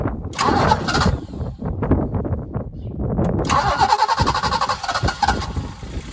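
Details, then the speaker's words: BMW E30 323i six, sat over a year, restarted in garden with no radiator and exhaust covered: about three seconds of uneven cranking, then catches and settles into steady even idle, no knocks or misses; normal start and idle. "It's been a long time since I've had one of these engines running. The other one I ever got going, I just took it straight out. But very pleased that it runs."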